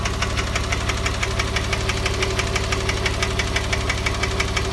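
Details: Porsche 997 3.8 2006 engine at idle: steady sharp knocking about twice a second over an even idle; owner suspects piston slap (kolbenkipper) or hydraulic lifter (hydrostössel), not confirmed.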